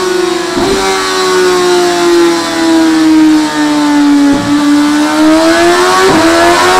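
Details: 2017 Suzuki GSX-R1000R with HM quickshifter: revs climb and drop cleanly at each gear change roughly every two seconds, no stumble or clunk; upper gears very smooth up and down, lower gears possibly still needing tweaking.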